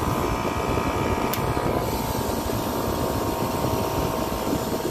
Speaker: compressor is fine it's just it's a digital scroll compressor and that's how it works